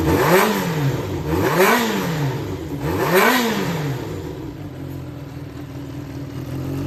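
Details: Yamaha XJR400 (4HM, early type) inline-four engine assembly, start check, compression measured, no abnormal noise or white smoke: blips up and falls back three times, then settles to a smooth even idle with no knocks. Healthy engine.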